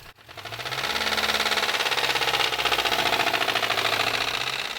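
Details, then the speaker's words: 2003 MINI Cooper S (R53), about 85,000 miles, at idle: fast, light metallic ticking about three beats a second that sounds like a bad timing chain tensioner but is rod knock; the engine later threw the cylinder 1 connecting rod through the block. "to me this sounds just like a bad timing chain tensioner and that's actually what we thought was wrong with the car until we took it apart"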